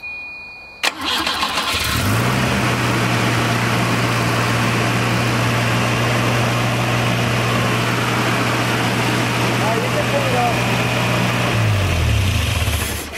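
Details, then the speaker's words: Volvo 240 after timing belt and water pump replacement (whining from timing case before), coolant about 2/3 full: quick crank catches at once, settling into a smooth steady idle with even hum, no whine or knock. "Alright, so I'm actually kind of surprised that worked."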